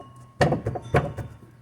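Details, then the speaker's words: 2013 Renault Sandero rear knocking; two dull hollow thunks as the loose spare wheel is struck in its well, a common cause of the rear noise. "Fica batendo, arranhando aqui, ó. Faz uma barulheira, tá?"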